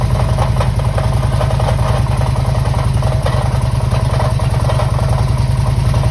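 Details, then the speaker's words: 2005 Harley-Davidson Electra Glide V-twin at idle, warm, restarted after a roughly 200-mile ride when the noise suddenly began. Loping idle with a steady clatter on top, around three ticks per second. Worn hydraulic lifters rattling in the valvetrain, which were then replaced. "That noise, it didn't do it at the bottom of the drive, it hadn't done it all day, just started when I started it back up outside the garage door. I've come across this noise before."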